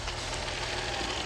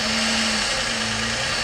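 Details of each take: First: 2006 Dodge Magnum previously with high idle at times and codes P2173, P0300, P0302: after installing a new O-ring to fix an intake leak, idle drops quickly and settles steady and smooth, no hunting or misfire; sounds much better, ETC relearn next. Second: Idling engine after recent tune-up, codes P2173, C121C, P0300, P0302: brake cleaner sprayed near the intake, loud spray hiss and idle change reveals a vacuum leak at the plenum gasket or blue EGR O-ring, likely fitted wrong.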